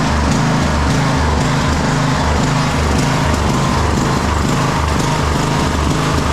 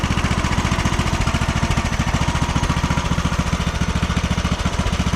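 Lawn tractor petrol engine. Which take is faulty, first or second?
first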